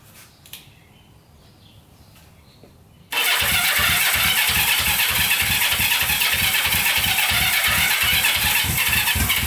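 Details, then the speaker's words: Barn-find Honda CB350 twin (1970 or 1974), first start after years of storage, choked, fuel reaching both carbs: quiet, then steady cranking at roughly three pulses a second, not yet firing; later fires up via kickstart but won't idle. "did not think that was gonna fire up good thing we had the kickstart we were running on the battery there but yeah fired right up sound pretty good"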